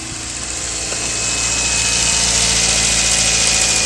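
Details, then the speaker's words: 2015 Kia Forte 1.6L turbo, after fuel pump replacement fixed a no-start: the engine catches and settles into a steady, even idle with a smooth hiss and no stumble or miss, and no fuel leaks. Normal idle. "all right we look back here we got no leaks the car running"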